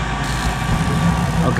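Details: Goodman GPG gas pack after spark igniter replacement, started with jumpers in G at control board: steady, even low hum with no clicking or hesitation; unit lights and runs smoothly.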